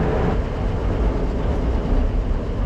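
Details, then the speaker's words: International truck on the road after rear axle bearing replacement and fresh fluid: steady low road rumble with no growl or whine, the earlier constant rumble gone; rear axle running quiet and healthy. "it doesn't have a lot of the Rumble that we noticed before which is a good sign"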